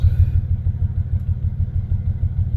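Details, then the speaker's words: Toyota Tacoma X-Runner after a burnout, restarted after clearing codes: deep, lumpy idle with an uneven low thump six to seven times a second; cylinder 5 dead, owner fears a holed piston; dead cylinder misfire. "Try to restart her. Oh no. Cylinder 5. We got a dead hole."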